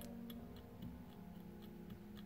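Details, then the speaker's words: Turbo 3V Mustang turbo CHRA center section held in vise, shaft rocked by hand: light sharp ticks about three or four per second; excessive shaft play from worn bearings, no contact yet but likely close, CHRA being replaced. "actually hear it there's a good amount of shaft play in this and it doesn't seem like anything was making contact yet but I think it was probably pretty close"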